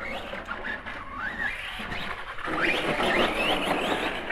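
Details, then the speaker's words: Arrma Kraton 4S RC truck. It ran fine on the bench, then the motor whine rises and falls in uneven bursts, stutters and dies while driving. Owner unsure whether motor or ESC; later confirmed as a bad ESC. "i don't know it's still acting kind of weird now it's fine on the bench maybe not nope right there just died"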